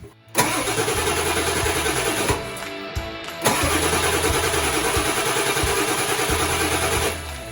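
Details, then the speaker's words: 1997 Ford F250 7.3 diesel after fuel pump replacement, cranked with injector harness clips unplugged to prime fuel. Steady, rapid chugging for several seconds, never catching. Cranking without starting, as intended. "disconnect the 4 clips with the injector harness, and then you can turn it over without the vehicle starting."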